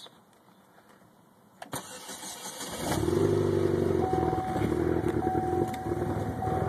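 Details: Pontiac Solstice GXP cold start at 54 degrees: starter cranks briefly, engine catches and settles into a cold idle with an uneven, stumbling beat; misfire on cold start.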